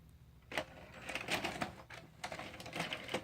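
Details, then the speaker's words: Hitachi VCR UX625, rotary encoder switch already cleaned: repeated bursts of clicking and whirring from the loading gear as it rejects the tape until the fifth try, then only tries to rewind, controls ignored; cassette rejected on insertion, cause unclear. "on the fourth or fifth time it should take the tape second third fourth fifth yep fifth time it takes the tape"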